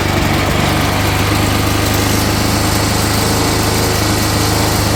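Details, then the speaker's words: Push-mower engine, already with a bent crankshaft and knocking, fitted in a Craftsman lawn tractor after the 12 hp Briggs failed: rough running with uneven knocking beat under a buzzy drone; knock from bent crankshaft. "I put a push M engine in here that already had a bent crankshaft and was already knocking but I was just curious to see what would happen"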